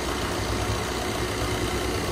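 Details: Maruti Dzire idling with AC on after AC compressor clutch set (bearing) replaced and gas refilled: even idle, no clutch chatter, grinding or bearing noise; compressor running normally.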